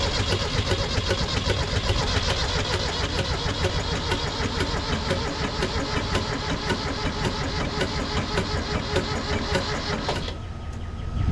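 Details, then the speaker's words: Kubota B7100 tractor, hot, cranks but won't start: steady starter cranking about two and a half beats per second for ten seconds, never catching. Owner suspects coolant froze over winter and cracked head or block; unconfirmed. "let's see if we can start it up again nope as hot as this thing is it still does not want to fire up"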